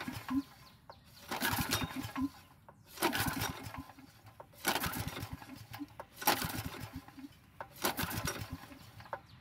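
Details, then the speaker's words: Generac generator, sitting a very long time, has its fuel valve opened and is pull-started. About six rattling pulls fade without catching: cranks but won't start, carburetor to be tackled next. "we can try to start it and unfortunately things don't go according to plan"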